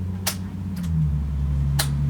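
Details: 1990 Yamaha XV1100 Virago, abandoned, new 8-gauge starter cable fitted: a few sharp single clicks over a steady low hum, no cranking; starter click, no crank, cause unconfirmed.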